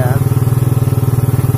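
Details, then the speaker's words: Suzuki Satria FU third generation, hard to start in the morning with weak compression, started without a battery. Quick, even putter holding steady without throttle, with the idle sitting somewhat high. RPM reportedly won't rise because there is no battery. "nyala, langsung gasnya agak tinggi nih. Coba kita tarik gasnya ya. Yang jelas RPM nya ndak mau naik Kang Bro karena nggak ada akinya ini."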